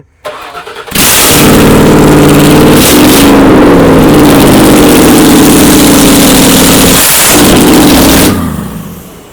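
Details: 1979 Toyota Cressida with a 5.4L V8 swap, first start after ECU plugs were properly connected: a very loud, raw V8 bark, blipped a few times, with big flames because no exhaust is fitted. Running with open exhaust ports.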